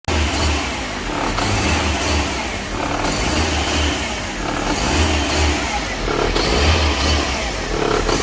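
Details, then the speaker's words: Fiat Grand Siena idle hunting in slow waves, surging on its own; on first start rpm jumps to 4,000 then drops and keeps oscillating, traced with a smoke tester to a vacuum leak at the intake manifold. "Ele está oscilando bastante e na primeira partida, quando você dá a partida, o RPM vai lá para 4.000 giros e depois desce e ele fica nessa arrumação. Ele fica oscilando bastante."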